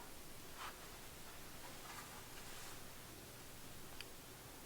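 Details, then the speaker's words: Restored 1946 Fender Model 26 Deluxe "Woody" tube amp after recapping and resoldered connections, warmed up with instrument plugged in, tone and volume at noon; nearly silent, faint hum, light hiss, few clicks; quiet idle. "there we go so very very quiet"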